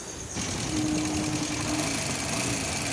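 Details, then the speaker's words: Honda SP 125 BS6 (top model) idling: fast light ticking from the top of the cylinder head; broken exhaust rocker arm holder (cage) causes the noise, to be replaced. "এই যে এর যে exhaust রকারামটা আছে exhaust রকারামের কেজটা ভেঙে গেছে তার জন্য গাড়িটাতে এরকম বিছি সাউন্ডটা আসছে"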